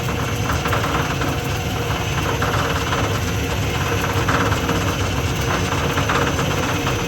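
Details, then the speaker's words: Old lathe with a three-phase motor powered through a single-to-three-phase VFD: steady mechanical drone with a rough swishing pulse about every second from the variable-speed two-pulley belt drive; stiff speed lever, noisy, cause not confirmed. "so what I'm doing here I know it's kind of noisy"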